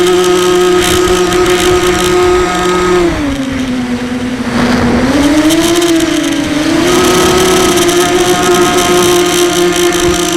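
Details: SunnySky 2204 motor on a 250 mini FPV quad, heard after landing: steady high motor whine over a gritty, rough hiss from a shelled-out bearing.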